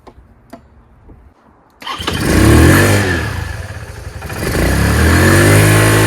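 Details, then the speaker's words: Motorcycle start after fitting a new Marxon 12V 8Ah 240 CCA LiFePO4 lithium battery: a few quiet clicks, then it fires at once, revs up and settles into a strong, even idle; clean, healthy start. "It's now running great. Look at that idle."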